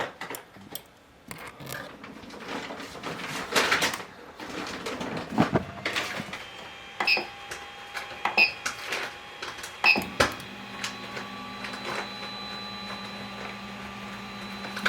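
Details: Ender 3 3D printer auto-homing after fix: stepper motors hum steadily, clean endstop clicks, no grinding; grinding had come from the Y-axis endstop not being hit, so the bed kept forcing back, fixed by extending the switch with tape.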